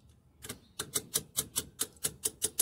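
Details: 1990 General Electric refrigerator, defrost timer turned by hand with a screwdriver: crisp, dry clicks about four per second with no buzz or grind. The defrost timer is advancing normally.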